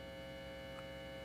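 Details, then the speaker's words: Guitar amp test rig: jumper wires with alligator clips on an output jack. The twisted pair's signal wire is unshielded, unlike coax, so it picks up mains hum: a steady low buzzing with a bright edge. Longer wires give more hum. "So, if I plug it in like this, first we hear a hum. Um, and that's because these two wires, although they're twisted together, um, the signal wire, isn't shielded like it is"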